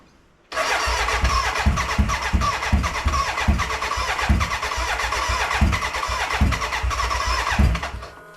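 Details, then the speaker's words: BMW K100 café racer first start after rewiring, tank newly fitted and fuelled: starter churns in quick uneven bursts about three a second with near-catches, never running, a cranking no-start; owner suspects the battery died and will recharge. "okay it kind of started kind of but I think the batteries stopped so let me recharge it and try it again"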